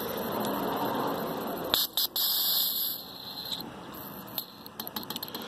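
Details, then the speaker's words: Spare fuel injector on the bench, pressurized with carb cleaner through a tire valve and fired with 12 V: steady hiss of leaking while pressurized, then sharp ticks. Leaking fuel injector, something is blocking the solenoid/valve; replace it. "you can still hear it leaking pressurize it again there you go that's a leaking fuel injector"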